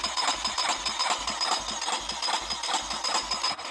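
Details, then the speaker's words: Junkyard 350 engine primed with fuel poured down the cylinder: uneven popping about twice a second for a few seconds, then it dies; it catches briefly but needs fuel in the carburetor to keep running. "So that was promising. So yeah, it did fire off. So it should run once we get some fuel in it."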